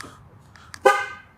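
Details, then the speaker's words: 2013 Ford F150 key fob after a key shell replacement that reused the original circuit board: pressing lock gives a single short, clean horn chirp in a quiet setting as the alarm arms; the remote works normally. "set the alarm, which works. Unlock it. I can hear the doors unlocking."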